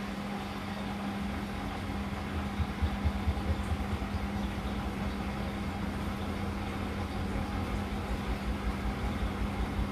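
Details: Hotpoint NSWR843C washing machine on final 1200rpm spin: low uneven rumble with loose, really loud rattling as the drum spins up; owner unsure whether the load is balanced, cause not confirmed.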